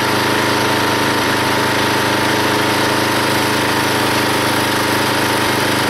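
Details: Log splitter small engine driving the pump by belt, after fitting a homemade spring-loaded idler arm because the belt flew off: steady drone holding speed under splitting load, no squeal, hardly any belt or pulley slip; normal running under load.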